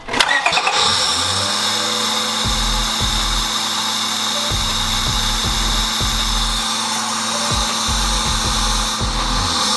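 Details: Car with freshly painted valve covers: cranks briefly, catches and settles into a steady, even run with no misfire or knock; normal start and run.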